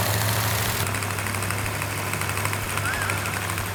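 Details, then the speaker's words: Freshly rebuilt V8 held at raised RPM for cam break-in after first startup: steady, even drone with no ticking, knocking or rattling; the engine runs as it should. "All right, we have the engine running exactly the way it's supposed to. No leaks, no rattles, no knocks."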